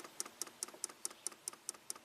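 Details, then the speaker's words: 1993 Cadillac Allante Northstar V8, key on engine off, idle speed control motor commanded via PCM override (code for idle speed control): light sharp regular ticks about five per second, motor stepping but pintle not extending. "I can hear it moving. It's trying to move. The pintle is not extending."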